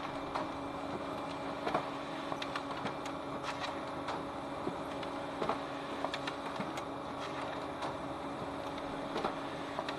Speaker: High work culture of the copier. The drive works quietly and smoothly.